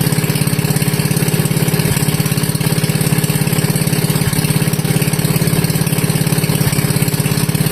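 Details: Wisconsin Model AB engine running on fuel from the tank, fuel petcock barely cracked, choke open, before the muffler is fitted: loud, even exhaust popping at a steady idle, about three and a half beats a second; runs clean and healthy.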